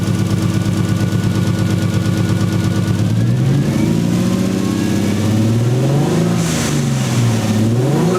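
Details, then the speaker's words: 1JZ VVTi swapped 240SX, now running with wiring and grounds checked and coolant and temp gauge working: uneven stumbling idle and ragged revs that never smooth out; steady misfire, owners suspect a bad igniter. "so we confirm some stuff and got it running and it's misfiring and we'll maybe check plugs and stuff"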